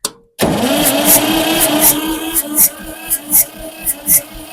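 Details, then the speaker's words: 1962 Massey-Ferguson 35 Super Deluxe with a 3-cylinder Perkins diesel, after glow plugs and starting fluid: the starter whirs and chugs with a slowing, uneven rhythm and never catches. It cranks but won't start, and the starter is getting hot. "okay maybe this stuff just ain't got enough juice in it to crank it"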